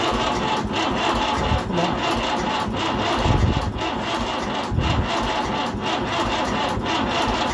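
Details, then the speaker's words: Fordson Power Major diesel tractor parked 5 years, cranked on a weak battery. Sluggish, uneven turning over at about one beat per second never catches because the engine can't spin fast enough. Two new batteries later fixed the cranking. "now the battery was not good enough and this meant that the engine was not turning over fast enough so it would not start like that"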